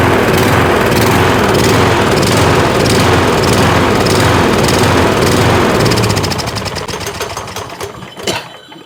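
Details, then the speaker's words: Troy-Bilt riding mower, Kohler Courage engine, running on choke: speed hunts up and down in rough pulses about three per second, then dies away; the owner blames water still in the fuel for the surging. "Well, it's still got water in it. I just pulled that fuel line off. That's why it's surging."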